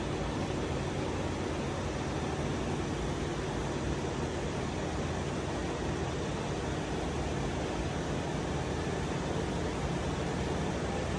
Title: 2021 Mercedes S Class A/C compressor buzzing noise